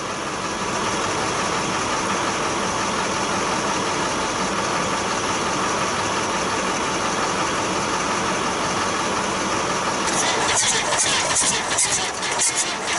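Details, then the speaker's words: 1966 Austin London taxi, first start in years: rough idle with uneven hiss and puffing from intake side, air blowing back through intake; owner suspects an intake valve problem, and it later cleared up by itself. "there was a reason for that thing to be doing what it was doing you know blowing through the intake but it cleared up so whatever it was it straightened itself out"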